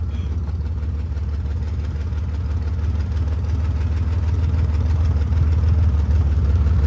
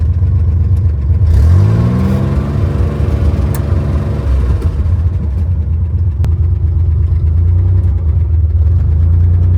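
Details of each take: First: 1963 Chevy Corvair run for the first time in years, rolling on the clutch in low gear with no working throttle or brakes. A steady, even low rumble with no knocks or misses; a smooth, normal idle. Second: 1963 Chevy Corvair driving in second gear after years unused, with no brakes. The throttle pedal sticks, so revs climb sharply and hang high for seconds before dropping back. Sticking throttle.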